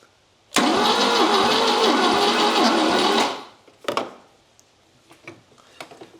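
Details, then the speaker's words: 1979 Volvo 242GT engine, sat 10 years in a barn, compression test while cranking on a weak, recharging battery: slow labored crank that never catches; some air escaping, about 60 on one cylinder, low compression. "There is a bit of air coming out of there, but we are getting compression. 60's not a lot. That's for sure."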